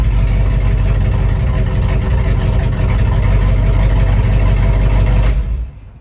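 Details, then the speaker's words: 1955 Buick 322 Fireball nailhead V8, first running after rescue: it idles with a deep, slightly uneven lope and a faint ticking on top that clears up at higher rpm. Either an exhaust leak (there's a hole on that side) or valve train noise is suspected. "I'm ready to get rid of that exhaust leak, make sure that ain't a valve train noise. Dad has a good point. When you bring the RPMs up, it kind of clears up and goes away, so we might have a valve train issue."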